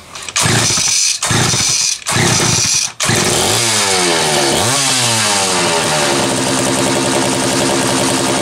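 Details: Homelite 330 two-stroke chainsaw, formerly trash-heap bound: several pull-start bursts, catches, wavers in revs, settles into steady buzzing idle; runs healthy.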